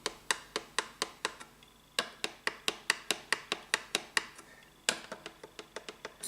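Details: Tradition S-2000 Les Paul, fret rocker across the first three frets: crisp wooden clicks, about four a second, as it rocks; the second fret is high, worst mid-fret, causing buzzing.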